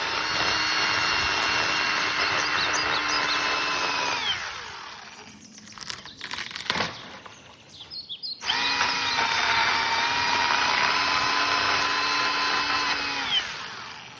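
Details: EGO 10-ft cordless pole saw, 56 V EGO battery, first test cutting branches: steady high motor whine that sags under load as the chain bites, pauses, then runs up clean again; healthy cutting.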